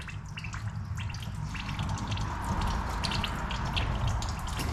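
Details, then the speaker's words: 2019 John Deere Gator XUV835R with replacement Chery SQR372 engine, 12,000 miles: irregular gurgling and dripping, a few bubbles each second, over a quiet running engine as trapped air works out while the coolant is bled. "you got to bleed it from here I can hear it bubbling just so slightly"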